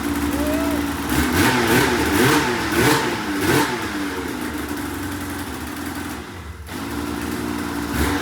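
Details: 2004 RMK 800 two-stroke snowmobile, first run after reassembly with fresh fuel and reused head O-rings: revved several times, then settles to a steady idle that picks up cleanly, running well.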